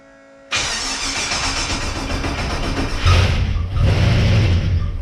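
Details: XG ute first start after fitting CNC ported heads and VCM 13 cam, on old oil: cranks and catches at once, lumpy cam idle, a couple of clean blips; starts and runs properly.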